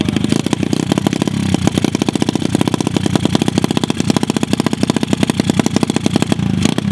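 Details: Dirt bike recovered from a lake with a water-filled engine, running after an oil change: crisp, regular single-cylinder firing pulses rising and falling with the throttle. It runs steadily, though carb tuning is still needed.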